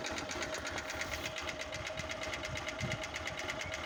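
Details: Moto Fan 125 small engine at idle: sharp metallic ticking knock about three per second; owner suspects a connecting rod or piston knock, source unconfirmed.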